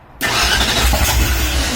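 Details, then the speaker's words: Ford Ranchero V8 on its first start with new firing order; choke pulled, probably no fuel in the system yet. Starter turns it in a steady rapid churn with no firing or catch; good starter, cranks without starting. "It definitely, it's got a good starter. Alright, giving it a little bit more. Go ahead. I don't think any fuel's in our system yet, so keep going."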